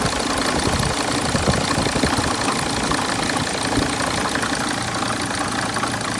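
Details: 2006 Mercedes Sprinter diesel at idle; uneven sharp knocks about three per second over a clattery idle; knocking whose cause is not identified.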